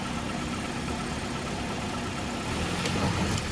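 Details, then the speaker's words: 2009 Dodge Caliber at city auction, fired right up on a jump box; quiet even idle with steady low hum, no knocks, misses or hunting; sounds very quiet, runs smoothly. "Jump box hooked up to it. She fired right up. Sounds very quiet."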